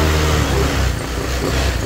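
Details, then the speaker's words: Honda Click 150i scooter after block replacement, CVT (panggilid) and wiring work; previously smoked: short throttle blip falling back smoothly, quiet, no knocking, rattle or smoke; sounds like new. "So yun guys, tahimik na siya guys. Pakinggan nyo naman kung gaano katahimik yan men. Parang brand new men."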